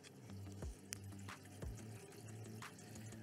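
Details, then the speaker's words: Deltec VF8000 roller filter on reef aquarium sump: steady trickle and uneven splashing over a low pump hum as water runs from the filter outlet down toward the jets; low sump level makes the drop too far. Water splashing at outlet. "leur tourne depuis le filtre vers la descente vers les gets bruit donc c'est là d'où vient le léger bruit d'eau"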